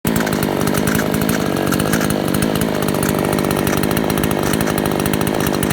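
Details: Small two-stroke engine screaming at steady high revs with a dense, buzzy rattle riding over it; rattle source not identified; rattling noise.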